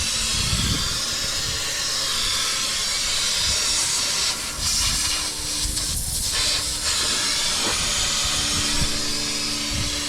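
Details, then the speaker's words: Truck AC with a newly installed compressor: steady loud hiss with no engine rhythm as refrigerant escapes from the bottom of a blown AC line, not the compressor. "Oh yeah, it's coming from the bottom of that line. That line blew out."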